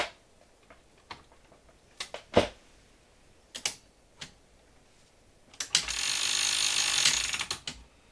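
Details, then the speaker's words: 1978 RCA VCT-200 VCR after a broken gear was epoxied and left 24 hours: a few isolated clicks, then about two seconds of even, steady whirring with no grinding, so the mechanism turns smoothly; the epoxied gear later broke again. "huh Oh sounds smooth enough to me because it is on backwards then it became off counter"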